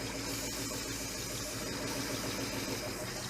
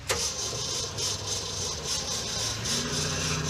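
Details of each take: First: 1969 Chevy Suburban with junkyard big-block V8, running after priming the carburettor: steady, even idle with no misses or knocks; sounds healthy, with a compression test to follow. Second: 1969 Chevrolet Suburban with junkyard big-block: sharp crank, then it catches at a lumpy, uneven idle ready to die; it stalled lifting off throttle downhill, idle suspected too low, puked out the bypass; not confirmed.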